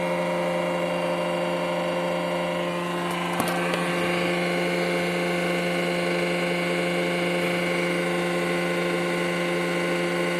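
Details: Renault Twingo 95 at steady idle with a buzzy, puffing edge from exhaust leaking at the manifold gasket and flex-joint (donut) gasket.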